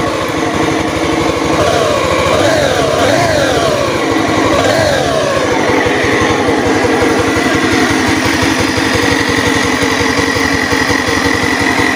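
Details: Honda Beat FI eSP scooter with a loud droning hum that swells as throttle opens, sounding like the CVT but actually a worn connecting rod big-end bearing, confirmed on teardown.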